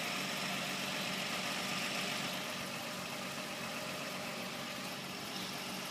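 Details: Infiniti G35: thin chirping, buzzing rattle in the engine bay over a quiet steady idle, source unknown, possibly belt drive; chirping rattle at idle.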